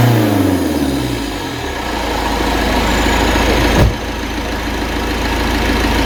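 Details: Citroen Berlingo HDi turbo diesel restarted after EGR and turbo cleaner spray treatment that nearly caused a runaway; after a brief rev it settles into a steady, even idle clatter with no misfire or surge, normal idle.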